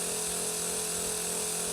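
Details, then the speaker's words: Berdair 12 V pump on a PWM signal generator at 60% duty cycle and 40 Hz: an even, steady whir with a constant high hiss and no pulsing or rattle. It is running much smoother. "go down to 60 percent going up to 40 Hertz it's a much smoother sound"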